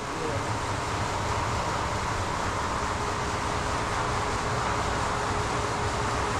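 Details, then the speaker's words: Farm hog barn feed augers (Shelmar side two) running after new feed lines were fitted: bouncing smooths out to an even, steady rumble with faint constant hum, no knocking or scraping, feed heard coming up; normal auger operation. "A little bit of bouncing there, but it's smoothing out. All right, sending feed up. I can hear it coming."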